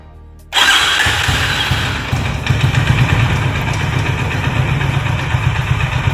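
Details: Honda Highness CB350, noise appearing after first service, recorded at dealer: catches and settles into heavy, uneven low thrum with rough mechanical edge at idle; engine/cylinder seizure later named, dealer opened engine, cause not confirmed here.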